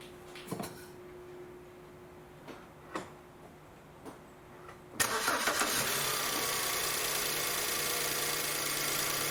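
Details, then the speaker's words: 2008 BMW E90/E91 318i after replacing spark plugs and coil packs for a misfire; a few clicks, cranks, catches around five seconds and settles into a steady, even idle; misfires gone, injectors not needed. "so so great news um these fires are gone so don't have to worry about injectors now because those are really expensive"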